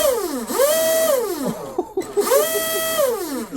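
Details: Proboat SonicWake V2 RC boat with upgraded 4082 1280kv motor, new flex cable, motor alignment, TFL 4614 prop, twin 4S packs; short bursts of clean whine climbing and winding down, no rattle or grind. Normal running.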